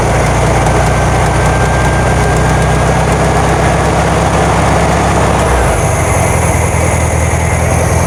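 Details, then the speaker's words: 1972 VW Karmann Ghia, air-cooled carbureted engine, first run after sitting for many years, choke just adjusted: a low, lumpy idle whose beat shifts partway through; it runs but is a little jumpy, and the valves have not been done yet. "sounds good it's a little jumpy we haven't done any valves or anything"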